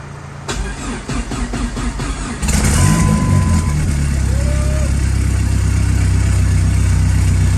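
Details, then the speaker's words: Fully built ACR engine's first start after the motor and transmission install, on 2-month-old E85: uneven cranking bursts, then it catches into a steady, even idle with no knocks and no leaks underneath. "Well, she started, don't see any leaks underneath. So we're gonna start it up again, let it get warm, let it idle. Got good oil pressure."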